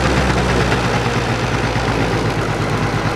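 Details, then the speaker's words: Two-stroke scooter carburettor with choke fully off: buzzy idle climbs and hangs, revs high and smeared, slow to drop; lean mixture. "И очень плохо их сбрасывает. хочет, видите? Такой прям подвисающие обороты. Они высокие и такие как будто смазанные."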